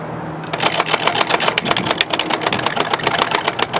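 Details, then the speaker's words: EGO POWERLOAD string trimmer auto-winding line after restringing, by pressing the button on top of the head: quick ratcheting clicks over a light, high motor whir as the line reels in; normal auto-wind. "you see this little button on the top here just push that it's actually pulling itself in [Music]"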